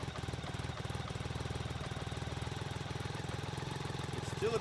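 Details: BMW K75 RT after new fuel injectors, cleaned air filter and new spark plugs (old ones oily), still cold at minimum idle setting: steady even low chuffing, no knocks or misses; normal cold idle warming up.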